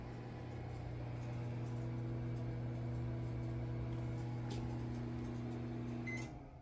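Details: Small microwave powered from the BLUETTI Elite 100 V2 power station battery, unplugged from grid: steady even low hum with fan whir, no pitch change, cuts off cleanly; working normally.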